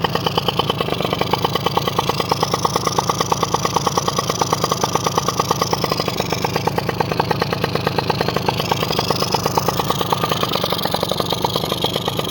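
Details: Honda AF18E two-stroke engine swapped into an AF09 scooter, running after start-up with fuel visible in newly fitted part: small two-stroke buzzing at a fairly steady, crisp idle with light rev changes; runs cleanly and evenly.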